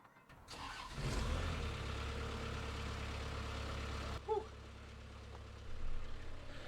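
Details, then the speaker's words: New Holland LS170 skid steer diesel after a full service with new oil, oil filter, fuel filter and air filters: it cranks briefly, catches and settles into a steady low idle rumble with no knocks or misses; it starts and runs healthy, no leaks. "All right, moment of truth. Will she fire up fine, and will she idle fine?"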